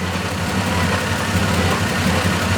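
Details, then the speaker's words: 1995 Toyota 80 Series Land Cruiser 1FZ-FE petrol six at idle after helicoil repair: steady low idle with a faint uneven pulse and exhaust rattle; slightly lumpy, possibly from old bad fuel, still smoking; cause not confirmed. "A little bit lumpy, but that could be bad fuel still because we've still got crappy fuel on it."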